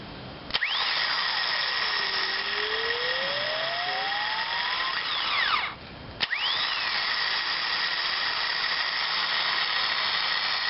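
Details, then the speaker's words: Starter from a 2000 Ford F-150 5.4L, bench-tested off the truck after solenoid replacement, with an added ground stud after earlier sparking: high steady whir spins up cleanly, cuts off, spins up again evenly; starter runs fine. "so I was having some sparking before when it fired up so we're going to test this a few times just make sure we don't have any"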